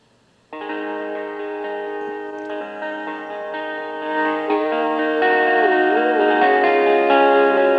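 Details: Panasonic RQ-309S cassette recorder after repair, batteries compartment cleaned: guitar music plays back at steady level with no dropouts or dragging; normal tape playback.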